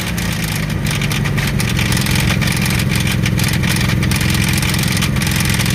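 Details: Jeep engine idling with a deep, uneven knock pulsing under a steady rumble; rod knock from a worn rod bearing is suspected, not confirmed.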